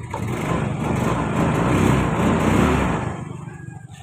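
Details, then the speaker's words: Yamaha Mio i 125 that stalled at idle, after throttle body cleaning and idle screw set about two and a half turns out: steady idle with soft even pulse, no longer dies. "so aan mga paps hindi na siya namatay"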